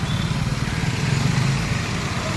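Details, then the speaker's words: Maruti Alto 800 petrol engine revved on the accelerator: rough, clattery roar with fast ragged tapping, very loud; tappets suspected, tappet cover to be opened and checked, not confirmed. "गाड़ी की आवाज देखो यानी accelerator पर आवाज इतनी ज्यादा है गाड़ी में च या बहुत ज्यादा तो इसका मतलब है सर्जी की गाड़ी का टेपट कावर खुलेगा ये सब खुलेंगे और इसके टेपट वगैरह चेक होंगे"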